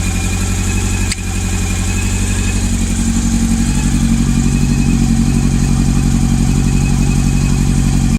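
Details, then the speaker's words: Honda CB400 four-cylinder motorcycle at idle with cylinder 3 not firing, found by checking each cylinder: idle holds fine but lumpy, uneven three-cylinder beat; single-cylinder misfire. "기통 4개 중에 3번 기통이 터지지가 않는데 소리는 아이들 유지는 문제없고 삼기통 소리"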